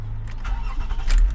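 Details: Toyota Camry V6 cold start after pre-cranking with the chipless key to push oil into the engine first: catches quickly, settles into low smooth run with no rattle or crackle; healthy cold start.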